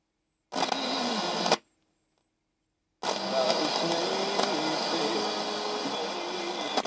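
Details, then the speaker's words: Faulty battery transistor radio (URT Iliria / Sanyo RP1270) tested by feeding signal from a second radio: brief noise burst, then a clear station plays evenly through the speaker, showing the IF input, detector and audio stages work correctly. "by feeding a signal from this part of this radio into this part of this radio we conclude that this whole bit over here from the uh i have input to the detector to the loudspeaker that is all working correctly"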